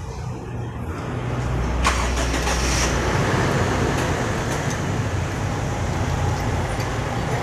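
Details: Innova engine after replacing a leaking valve cover gasket that caused oil-wet spark plugs: catches on starting and settles into a steady, even run with no misses or knocking; running normally.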